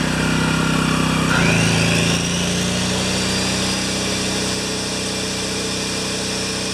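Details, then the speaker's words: Yamaha 1000 W generator that surged at idle, running on choke after carburetor jets were reamed out one small step and new gaskets made, at maximum load. Dips once as load comes on, then holds a steady, even drone without hunting. "I've got the choke on gas is turned on and I reamed out the Jets to see if it'll stop surging on idle so here we go are you ready let it run for a little while this is maximum load"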